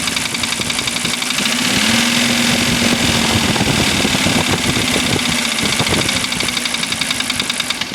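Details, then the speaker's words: 1985 Mercedes 300D diesel idling after starter rebuild, valve adjustment, new glow plugs and diesel purge: sharp ticking knock roughly four a second over the idle clatter; source not pinned down. "But it's got this tip when it runs. Obviously, you can hear it."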